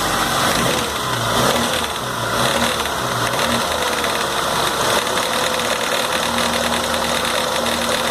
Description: After rebuilding noticed this rattling noise , eventually coming from idler gear (MG 1300 engine)